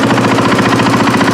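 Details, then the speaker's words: KTM 450 XC-W with suspected head gasket leak (pressurized cooling system), slight smoke on start: fast, even light ticking over steady single-cylinder idle; normal follower tick of overhead-cam valve train. "It's got a ticking in the motor, but I think that's just the valves. Because with the followers on this style valve train, it'll actually make a little bit of a ticking noise, even though it's an overhead cam."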